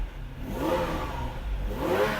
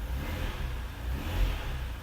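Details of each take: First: Ferrari 456 V12 after reseating a loose connector, for an intermittent fault that drops half a bank: smooth, even rev rising and falling cleanly with throttle, no misfire; all 12 cylinders running, fault not yet confirmed fixed. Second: Ferrari V12 with an intermittent fault, still present after the connector was reseated: lazy, flat response to throttle blips at half power and sluggish, suggesting one cylinder bank is intermittently dropping out; cause unknown.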